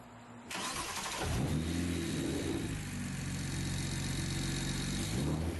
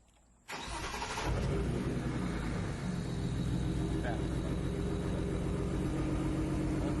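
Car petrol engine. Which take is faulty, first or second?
second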